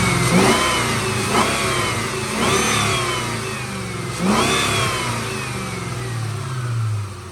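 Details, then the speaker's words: 1996 Ford Mustang Cobra Convertible, 81,000 miles, nearly stock, serviced: sharp throttle blips rising quickly and falling back to a smooth idle, with strong airbox intake rush; a healthy, crisp-revving engine. "listen to that listen that air box suck the air"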